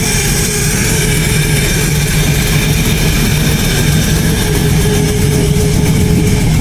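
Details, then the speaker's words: LS-swapped Chevy Blazer V8 running on a self-made Tuner Pro ECU tune, just after startup: loud, deep idle with a sharp, raspy puffing on every pulse from an exhaust leak, still to be fixed. "So, sounds really mean. There is an exhaust leak. I know everybody can hear that. I will fix that."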